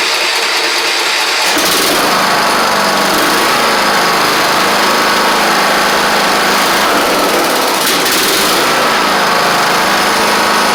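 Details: Troy-Bilt Horse XP riding mower with a replacement single-cylinder engine, restarted after freeing the bound-up, sticking choke. Catches quickly and settles into a steady, even buzzing run with no stumbling; sounds healthy.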